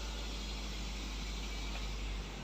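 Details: Daihatsu Terios freshly restarted after a G-Scan3 fuel pump off/on test: a low, steady rumble settling into an even idle with no stumbling: normal idle.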